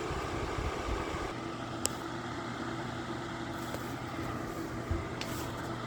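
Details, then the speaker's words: Lasko electric fan heater on high (1500 W; low 750 W), camera near bottom outlet by heating coils; steady airy whoosh with faint low hum and odd click, no rubbing or rattle: normal fan operation. "So it's almost the stupidest thing to do, but that works really good. It blows the heat out."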